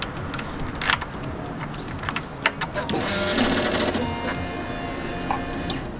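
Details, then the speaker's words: K1/K2 Suzuki GSX-R after the SET valve is disabled and the ECU is plugged back in: at ignition on there are a few clicks and a steady fuel-pump priming whir, and the woodpecker tapping is gone, so the ignition-on sounds are normal. "And there you are, completely cured. Don't get that annoying rattling or tapping sound."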